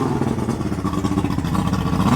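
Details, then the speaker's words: Outboard that had been sitting rotting, blower unit refitted and water coming out, started before going in the water despite a found leak: rough buzzing two-stroke note, steady and revving slightly; fired right up, running strong. "pretty awesome that they fired right up"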